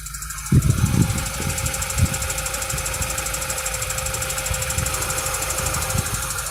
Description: A video of the ticking sound we're struggling to get diagnosed on my 2011 Mini. It comes and goes and doesn't change frequency/speed with the engines.